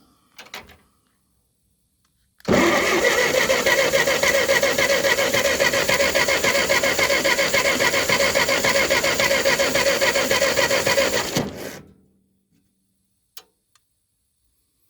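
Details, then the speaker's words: Ferguson TO20 tractor sitting three to five years, after sanding the points: about nine seconds of steady, even cranking with a rapid regular chug, never catching; crank no start with weak or absent spark, points and condenser suspected. "it doesn't look like it don't look like we're getting any spark well let me keep uh let me keep after it all right we're getting spark again but it's sure is weak"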